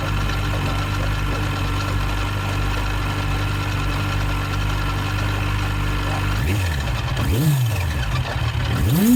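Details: Yamaha FZ1 Fazer inline-four idling with a light, irregular tick, then revs blip up; noise appeared suddenly weeks after a new cam chain tensioner was fitted; source of tick unclear.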